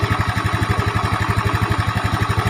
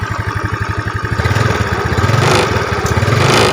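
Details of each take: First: Yamaha Mio Smile with valves already adjusted, idling fast and even: a light, steady ticking rattle in step with the engine from a worn, stretched cam chain, to be replaced with a 90-link Honda cam chain. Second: Yamaha Mio scooter after replacing noisy cam chain with Honda chain (90 links) and adjusting valves; small revs settle to even idle, smooth quiet top end, faint hiss because cam chain tensioner cap not yet fitted.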